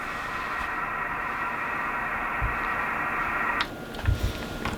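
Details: Kenwood TS950S transceiver with an intermittent dead main receiver: with an external 14.7 V fed in via coil L3 to the RXB line, the receiver works. Steady hiss with the top end cut, dropping away near the end; the fault is traced to RXB generation, possibly the 15 V supply.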